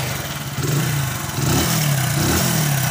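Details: Hero HF Deluxe motorcycle after the noisy self-starter motor was repaired: it starts cleanly on the electric starter with no grinding or clatter.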